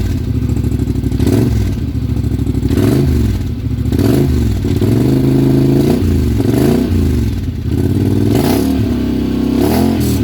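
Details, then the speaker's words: Polaris Sportsman 1000 High Lifter with a newly installed GSE Trail Tamer exhaust and heat shield removed: a deep, clean exhaust note rises and falls with each throttle blip and settles back evenly. Slight rattle noted; the engine sounds healthy. "muffler is on I don't know if I should have kept that heat shield on it it kind of rattled some you can kind of hear it let me know if you kept yours on I'm not sure if I should sounds pretty good"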